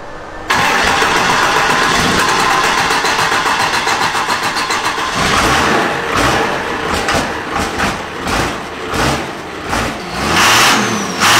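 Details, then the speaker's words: Mustang with ignition timing advanced to about 30 degrees and more fuel added: engine catches and runs rough and uneven with sharp metallic rattles over the exhaust as it revs; audible spark knock from too much advance. "oh god damn you hear that man that's a lot of ladies times gentlemen we got a lot more fuel added to it as you can hear the knocking now"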